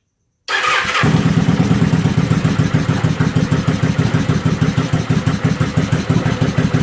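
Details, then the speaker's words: 1996 Kawasaki 750 project motorcycle, first cold start of the morning with choke set, rectifier disconnected after it shorted and overheated; it cranks, catches and settles into a lumpy, fast-pulsing choke idle, a normal cold start. "Choke it a little more, get the revs up. There we go."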